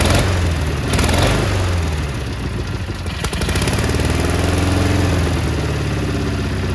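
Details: Cub Cadet 1430 abandoned for years, fuel turned red, started on ether; idle wanders up and down in speed with an uneven beat, surging while burning off deposits; one side possibly misfiring a little.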